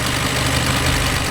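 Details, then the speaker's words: 2009 Mercedes B-Class B150 with 221,000 km on a test drive after oil-leak and belt repairs: light, constant metallic rattle over a steady idle; belt noise is fine, but the owner suspects the timing chain will need replacing. "The belt noise is okay, but I think we're gonna have to replace the timing chain at one point. Quite a bunch of rattling going on here."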